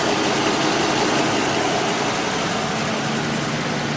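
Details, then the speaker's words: 2010 ambulance after leak repairs, warm idle; smooth, even soft steady rumble with no ticking or puffing from the exhaust; sounds sealed and healthy. "exhaust system sounds a lot better it's nice and quiet"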